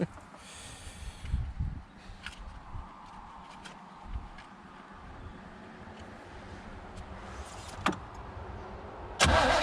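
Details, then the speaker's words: Chevy Vega wagon with a 350 V8 and 4-speed, sat about 15 years in a field: short cranking bursts with brief stumbles that never catch; spark lost, owner suspects a weak connection at the distributor. "little spark again gotta be a weak connection to the discriminator yeah you like how i just made up that word it could be the highway no spark anymore"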